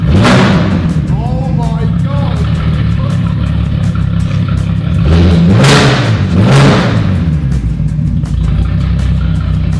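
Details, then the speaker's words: VW Caddy van with a swapped-in 3.2L VR6 from an Audi A3, after a fuse thought to be misplaced was moved and the fuel pump primed: very loud, deep bark revving and settling cleanly with no knocks or misses. It is running normally. "That is louder than the Fusion. Oh my god, that is loud."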